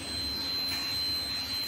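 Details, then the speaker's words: Bosch refrigerator not cooling; constant high pure beep over low hum, buzzer sounding nonstop; buzzer fault blamed for fan not running and the cooling problem, not confirmed: continuous buzzer alarm. "इसका problem है buzzer का। ये देख सकते हैं दोस्तों, sound आ रहा होगा, इसके अंदर बजर का प्रॉब्लम"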